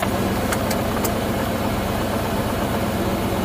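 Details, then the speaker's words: 1994 Ford Bronco after replacing the electronic push-button transfer case motor (Dorman 600-801), idling in neutral: a few quick sharp clicks as it shifts cleanly into 4-low and the low range light comes on; normal operation. "nice okay i heard that click over so it looks like and then my more low range light came on there so it looks like we are good"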